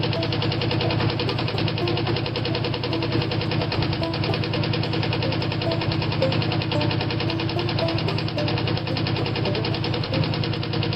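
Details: Ford engine cranked after sitting all winter (battery on tender), rough idle reportedly running on seven cylinders, with a low uneven knock about three beats a second under the exhaust; worn rod bearing knock.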